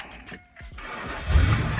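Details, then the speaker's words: Big Ford V8 van, sat all winter with low battery, jump-started with NOCO Genius GB70 booster in cold: short crank, then catches at once into steady run; normal start. "yeah there we go whoo yeah that was easy i didn't have to drag the jar out and run a chord or nothing"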